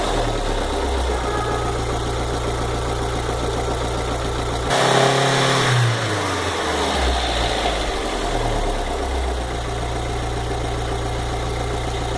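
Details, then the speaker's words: VW Fox 2009/2010 engine at idle, warm: light rapid ticking about three to four per second that quickens with revs; disappears when cold and returns when hot. "Quando tá frio, desaparece. Quando tá quente, ele volta de novo esse barulho."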